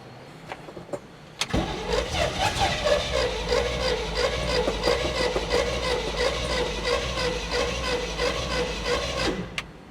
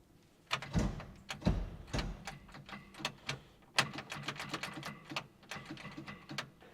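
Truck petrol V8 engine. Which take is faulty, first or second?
second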